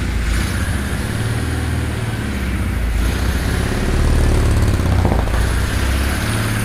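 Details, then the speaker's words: Custom-built Russian 1150 cc opposed (boxer) engine on first start, with idle and fuel maps not yet set up: it runs quietly but the idle swells and sags every second or two. Hunting idle; uneven injectors suspected. "работает тихо да потому что у него плавают обороты значит где-то неровно форсунки"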